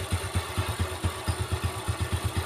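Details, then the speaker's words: 4-stroke underbone motorcycle engine running: smooth in neutral but a rough, crunchy "kresek" clatter over the low thump appears when put in gear, heard from the right side of the engine; rough engine noise in gear. "kresek kresek kresek kayak gitu suaranya ya netralin halus lagi"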